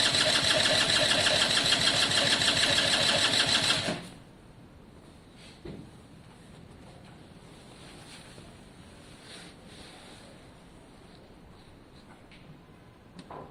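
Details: Italjet Formula 50cc two-stroke paddock bike, carb, new fuel tap and airbox refitted: a fast, even electric-start whirr for about four seconds without catching, then stops; cranks but won't start.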